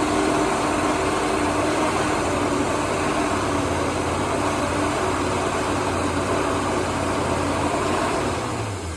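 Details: 1977 Holden HX Statesman Deville, 308 V8 with Turbo 400, sat about 20 years, fuel primed into manifold: steady even idle with smooth low burble, no knocks or misses; running cleanly and healthy.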